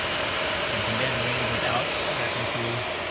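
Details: Air Venturi 4,500 psi high-pressure compressor, water-cooled with distilled water, first setup run: steady airy hiss with constant mid tone and light pumping pulse, no knocks or grinding; running normally.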